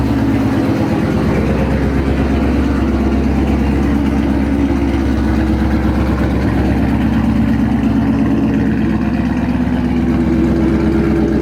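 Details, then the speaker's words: 2013 Mustang GT V8 at idle after new NGK spark plugs: loud, lumpy, stumbling idle that never smooths out, so the misfire is not fixed. Coil packs are suspected next; cause unconfirmed. "Well, it didn't fix it. As you guys just heard, it's still firing weird and this sucks, man."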